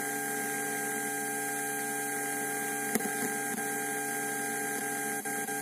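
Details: Bluetooth MP3 module fitted in a Polytron compo tape deck: steady buzzing hum with stacked even tones, stopping near the end when a 1000 µF 16 V filter capacitor is connected; power supply ripple hum from missing filter capacitor.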